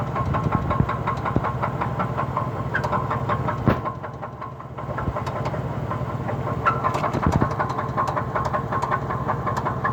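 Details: 2003 Cadillac DeVille at a morning start idles roughly with irregular knocking and faint squeaks, with stalling and a shaking exhaust; cause unclear.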